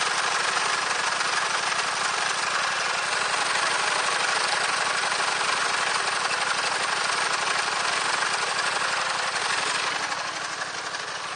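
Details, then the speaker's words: Gravely 816 tractor rebuilt with a Honda GX690 engine replacing the dead original, with a home-made exhaust. Fast, even chugging at steady speed with a busy mechanical clatter over it; the engine holds speed well. Normal engine running. "et voilà donc le moteur est bien adapté"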